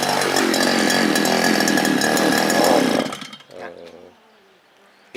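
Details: Small two-stroke earth auger engine: runs hard for three seconds when throttled, then sags, coughs and stalls, from fuel starvation caused by a swollen carburetor fuel-pump diaphragm; hard starting, quit after about ten holes.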